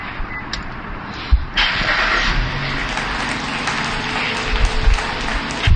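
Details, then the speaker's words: Perodua Myvi after timing chain replacement, valve grinding and new valve seals: engine starts first try and settles into a quiet, steady idle with no rattle, vibration or stumble; normal idle. "Bunyi dia pun senyap, one kick ya. Sini kita tengok semua tiada gegar-gegar, enjin pun steady."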